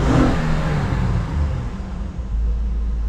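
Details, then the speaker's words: 2011 Honda Pilot engine after replacing the belt tensioner and belt for a screeching/chirping noise: smooth low idle with a couple of light revs, no chirp or squeal; normal revving, belt drive quiet after repair. "now here's going to be the real test starting it up letting it run and making sure the chirping went away so far so good let's give it a couple baby revs"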